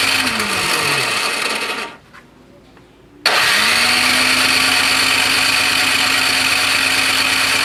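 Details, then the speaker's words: Toro Power Clear 621E snowblower, 163cc OHV four-stroke, water found in gas and carb leaking, spark plug cap just tightened: motor whirs steadily while cranking with no firing beat; cranks but won't start, cause unconfirmed. "not even a kick i just put the spark plug cap on a little tighter felt a little loose"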